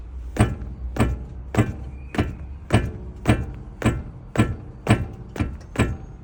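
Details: Geely Monjaro suspension knock: dull, heavy thunks roughly twice a second coming from the suspension.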